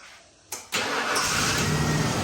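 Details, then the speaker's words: 1995 Ford F150 after a new starter and a new starter solenoid: a short crank whir, then the engine catches promptly and settles into a steady, even idle, now starting normally. "well there you have it there kiddo your truck runs again Dad nice job it's got a new starter"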